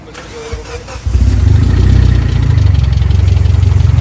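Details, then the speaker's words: Car with a fender-mounted intake, engine run after driving in heavy rain. It cranks, catches, then settles into a lumpy, uneven low thumping rough idle. Owner suspects a bent rod, and the oil pan is to be pulled to check. "i don't know what i did i don't know how apparently i bent a rod"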